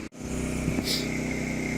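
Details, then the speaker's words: Champion 200961 2500-watt dual-fuel inverter generator, new, freshly oiled, started on propane after choking, idling without load: steady, even hum with no misses or knocks after a brief dip at the start; normal idle. "Overall, pleased that it started up so quick. I'm gonna let it run for a little bit."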